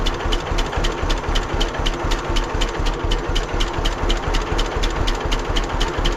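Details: 1946 John Deere BN tractor on a 47°F day, after carburetor rebuild and governor throttle control rod adjustment to fix earlier surging: crisp, evenly spaced pops about four per second, a steady beat with no hunting. Healthy idle.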